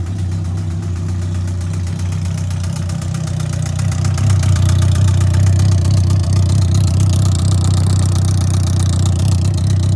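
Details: 2003 Yamaha R1, 31k miles, bad starter so push-started in 2nd gear: steady idle with a regular light tapping from the top of the engine that grows louder as the throttle rises; top-end knock, owner assumes rebuild needed.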